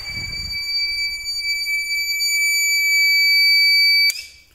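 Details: TBE 2000 W (4000 W surge) pure sine inverter on a 200 Ah battery, switched on with a motor load: steady high-pitched alarm for about four seconds then cuts off; overload trip, load must be switched on first.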